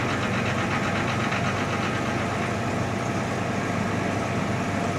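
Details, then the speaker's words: 1987 Jaguar XJ6 just restarted after long sitting and rat damage: steady, even idle right after startup with no misses or knocks over the low exhaust note, oil pressure 40; healthy. "That's good. That's really good. She's idling perfectly."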